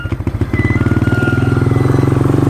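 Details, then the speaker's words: Vehicle driving past the fields: fast even engine chugging with a thin high squeal coming and going from the rear; awful screeching, cause unknown. "I don't know what that sound is. It's an awful sound screeching back there."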